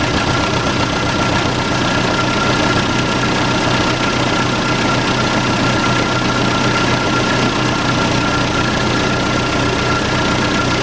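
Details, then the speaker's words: Case 580C backhoe diesel, unstarted for 10 years, started with ether and no coolant: even diesel clatter at a steady idle, no misses or knocks; runs and sounds pretty good, normal idle. "it runs. Sounds pretty good too. Did you get that? Bought a running backhoe, $2,800 bucks."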